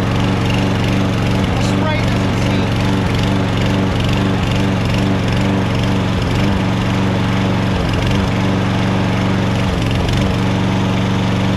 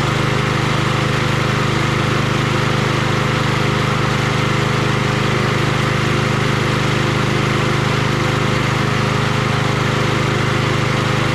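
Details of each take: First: Troy-Bilt 21" XP self-propelled mower (12AI836M011), cold start: engine speed dips and recovers unevenly, surging for about half a minute to a minute until warm; owner suspects a vacuum leak or cracked plastic intake manifold, tested with carb spray. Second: Troy-Bilt 21" XP self-propelled mower 12AI836M011 after a sheared-keyway repair (transmission shot): its small single-cylinder engine started on the first pull and holds a steady, smooth drone without vibration while some smoke clears. Normal running.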